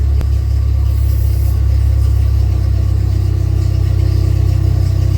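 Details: Dodge Neon mini-stock race car, first start in about two years: deep, steady idle with an even low rumble and no knocks, misses or hunting; charging, good oil pressure, check engine light flashing; healthy.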